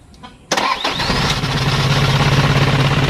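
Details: Isuzu 4HL1 diesel after troubleshooting a crank-but-no-start fault involving the fuel shut-off valve: short crank, fires immediately and settles into an even, steady knocking idle at about 200 beats per minute; normal start.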